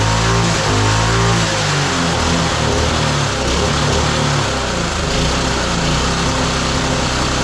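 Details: Roadside-found lawn mower engine for the Tommy Gun mini bike (carburetor may need replacing): steady, even putter, no misses or surging; running smooth and healthy.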